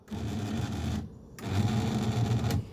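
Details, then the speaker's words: 1982 Mercedes 300SD passenger power seat: small electric motor whirs evenly in two short runs with no load change while the seat doesn't move, because the drive cable has come off the motor; gears also need lubrication. "Also, if I try to raise it up, hear that? It's not moving though. That is because the cable has become attached from the motor."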